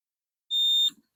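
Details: Hemi Plymouth Duster alternator replacement, continuity-testing the connector ground: a single shrill high-pitched beep under half a second, then brief handling noise. The test tone sounds properly and continuity is confirmed.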